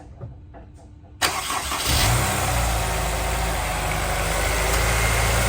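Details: Honda S2000 with 200,000 miles that ran on 3 cylinders, after spark plugs, valve adjustment, injector cleaning and new pulley bearing: quick crank and catch, smooth even idle, no misses or knocks; normal.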